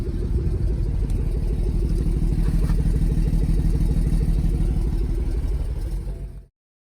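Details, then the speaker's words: BMW/Toyota/MINI B58/B48/B38 engine before injector replacement: an uneven idle stumbles about three times a second with a skipping exhaust beat; one cylinder misfiring. "Here's what it's likely going to do when it's missing."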